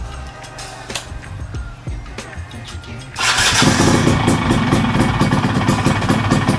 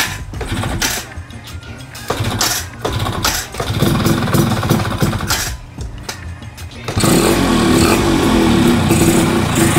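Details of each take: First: Yamaha F1ZR two-stroke with changed gear ratio and upgraded PE30 carburetor: starter whirr, then an even, steady burble. It runs much smoother after fixing the rough noise traced to the starter one-way clutch. Normal start. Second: Two-stroke bike with newly fitted PE 30 carburetor, pilot jet not yet set: ragged start-up bursts settle into a steady run with a loose metallic rattle from a worn one-way starter clutch housing.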